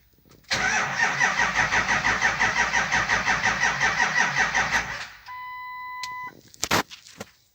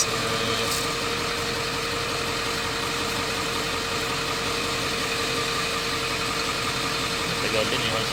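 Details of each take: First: Ford F450 7.3L diesel. Even starter cranking at about three compressions a second for four seconds, never catching: crank, no start, traced to a faulty camshaft position (CMP) sensor. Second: Ford F450 7.3L diesel that cranked but would not start, fault traced to the CMP sensor, now running; steady, even clatter at idle, no stumbles or dropouts: normal idle.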